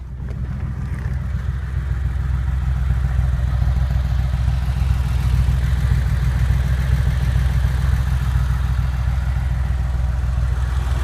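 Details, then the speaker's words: Porsche engine, warmed up after about half an hour of driving: light, quick tapping at about three or four taps a second over the low exhaust drone; source unknown. "Tapping sound."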